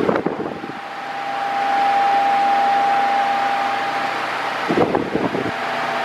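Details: Mondial Maxi Power 40cm 140W V-40-B fan, new, oscillating: a steady whir with a constant mid-pitched motor tone over airflow rush, loud for its speed. The owner finds the motor too noisy, and thinks airflow is weaker than earlier Mondial models.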